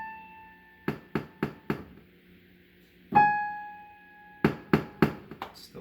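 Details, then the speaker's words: Casio PX-850 digital piano: repeated notes pop at the attack; after an octave shift the pop follows the A5/Ab5 pitch, not the physical key, so the fault lies in the processor's note synthesis, only on those two notes. "okay so something is defective with the synthesis portion of the processor so it's not about the key because when we shift the keys the issue shifts as well so it's about the way that the processor tries to synthesize the frequency to send it out"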